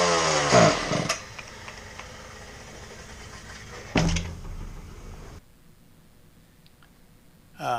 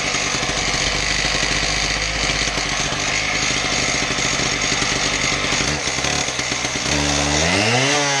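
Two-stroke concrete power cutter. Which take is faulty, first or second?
first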